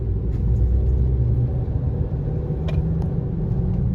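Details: 2018 Honda CR-V, humming since new, loudest between 25 and 50 mph. Steady low drone under road rumble, also felt as vibration at the feet; no noise with the front wheels lifted. Owner suspects a hub assembly or tyres.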